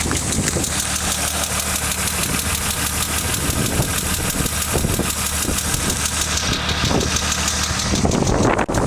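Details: 1995 BMW M3 at idle: light, fast top-end tick about twice a second, suspected lifter tick; changed to 20W-50 oil to quiet it but the ticking got worse; cause unconfirmed.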